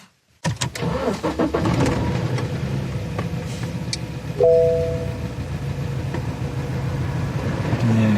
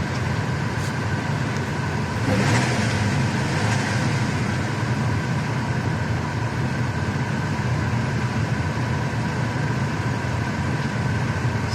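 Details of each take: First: Engine misfire after sudden power loss with jumping revs; after new spark plugs it still cranks into a lumpy, uneven idle with irregular stumbles, so the ignition coil is apparently dead and an identical replacement has been bought. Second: Car after replacing failed ignition coil that caused misfire: steady even idle with no stumbles, revs hold flat; engine runs smoothly, spark plugs still to be changed.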